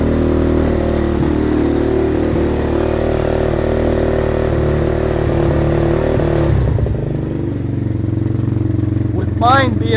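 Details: Venom Thunder 125cc dirt bike, Nibbi carb with fuel enricher on, just kick-started cold: steady, even single-cylinder thump at a fast cold idle, no knocks or misses; running healthy.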